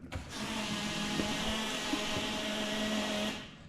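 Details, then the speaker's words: Zetec turbo mk2 Fiesta fuel pump priming with the ignition on, fuel hoses twisted and a leak suspected: steady electric whir with a rough, bubbly edge; sounds like it is gargling air. "Should we put some fuel in the tank? Because it sounds like it's gargling air, to be fair."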